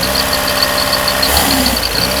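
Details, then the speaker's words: Mercedes W201 2.5-16V manual, parked for years, return flow under 1 L: engine races at a steady idle over 2000 rpm that never settles because the idle/throttle valve underneath is stuck, and it won't rev higher when the pedal is pressed. "The current RPM has already reached over two thousand. Because the throttle valve underneath is stuck."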